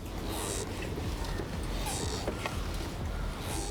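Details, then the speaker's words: 2020 Hero Passion Pro BS6 commuter motorcycle: faint high squeaks about every 1.5 seconds over low rumble, coming not from the tire but from improperly routed, loose wiring near the handlebar. "do you hear that squeaking noise that is not coming from the tire that is coming from the wires around here which are not properly set"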